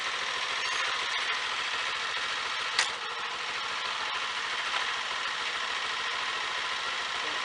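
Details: Honda Fan 125 idling after a chain noise fix (guard plate and bolt refitted): a fast, even light ticking with no chain rubbing or slapping. The noise showed mostly when riding.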